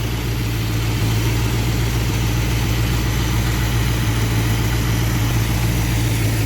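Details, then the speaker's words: V8 with rebuilt Thermoquad carburetor, warm, after turning idle mixture screws in about a quarter turn: smooth, steady low rumble with even pulse and no stumbles; running good. "I did turn my idle mixer screws in just about a quarter of a turn, and everything seems to be running good now."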